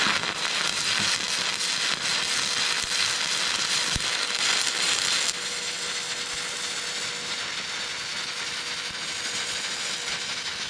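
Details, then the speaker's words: Vevor MIG-250 in stick (electrode) mode at 125 A: a loud, steady frying-bacon crackle with sharp pops, arc burning hot; the welder's best stick bead, but the amperage felt a bit too high. "Kui aus olla... siis ilmselt see on mu parim elektrood keevisõmblus mida ma eales teinud olen mida pekki tegelt ka päris vinks vonks.... aga tundsin, et veits palju ampreid oli"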